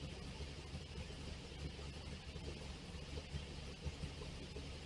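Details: V8 drag car running after an intake rework with the carburetor refitted, before timing is set: lumpy idle with an uneven loping beat around eighty-odd per minute, no knocks or rattles, normal running.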